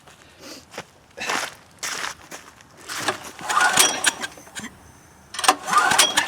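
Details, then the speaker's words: Westinghouse generator cranking with choke on after starting fluid: uneven cranking bursts with a breathy hiss blowing out the muffler and no catch; suspected plugged exhaust, unconfirmed. "It's trying. Interesting, I hear the sound of air hissing out of the muffler."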